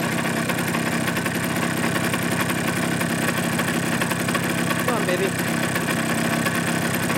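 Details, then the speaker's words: Suzuki GP100 two-stroke on a test rig, second test after float adjustment, run until fully hot; warm idle with a fast even rattling tick on every firing stroke; piston slap as clearances grew, rebore and new piston planned. "I've actually been able to run it long enough for everything to get hot and all the tolerances to be walkin em or to the maximum they'll get"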